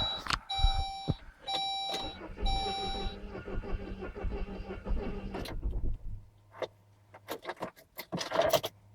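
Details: Saab 9-3 that lost power on the highway at about 140, no warning lights, MAP performance code; after overnight battery charge, chimes then starter cranks steadily about three seconds without catching, no-start from failed crank position sensor.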